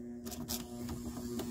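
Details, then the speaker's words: 1975 Gottlieb Atlantis pinball machine just out of storage: steady low electrical buzz with a few light clicks from a score reel coil locking on because the reel is stuck; freed, the reel turns again. "i hear the buzzing oh it's this guy here [Music] that guy is locking on if you close it there we go just needed a little bit of love okay that reel is now moving"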